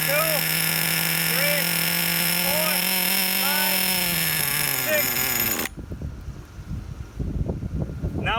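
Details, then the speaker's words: Redcat Earthquake 3.5 nitro monster truck, low-speed needle pinch test: steady high scream then sags and dies in about six seconds, still slightly rich; needle leaned a quarter turn clockwise, air bubbles seen in fuel line. "this time it took about eight seconds to turn off therefore I'm gonna make another quarter-turn adjustment to close it out which means lean it out clockwise"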